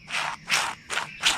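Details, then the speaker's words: Low-hour diesel Kubota T1600 tractor's Eaton hydrostatic transaxle (owner thinks a 750): a sealed bearing cut off from oil, turned by hand, gives a dry, rough rasping with each stroke. Dry bearing; packing it with grease quieted it a lot. "you can hear it it's kind of noisy so I'm just going to pack it with some greine grease here and we'll put the seal back"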